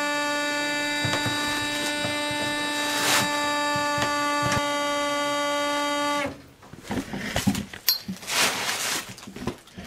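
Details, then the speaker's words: Worcester Bosch combi boiler switched off, hot water tap running: steady, fairly low reedy whistle persists, caused by a limescale-clogged flow control filter restricting water flow. "so we've seen that the boiler is still making noise although it's off or when you run the hot water still make noise"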